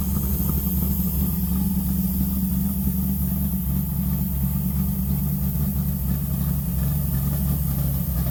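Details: Deep, lumpy but even idle rumble with no ticking or knocking, from a big-block in a '70 Charger; normal healthy idle.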